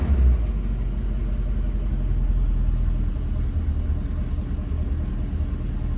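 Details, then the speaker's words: 1966 Ford Mustang convertible, cold start after two to three accelerator pump strokes with the choke working, idling in gear: deep, even low rumble holding steady without surging or stumbling; smooth, healthy idle. "Hit the key. That's pretty decent. That's light years above where we were, too."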